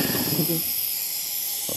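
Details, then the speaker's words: Belt-driven air compressor before repair: steady high airy hiss bleeding from the unloader near the pressure switch base plate after shutdown; leaking check valve, not the pressure switch. "as you can hear air escaping uh if you put your finger down below the unloader near the base plate of the pressure switch you can feel the air there"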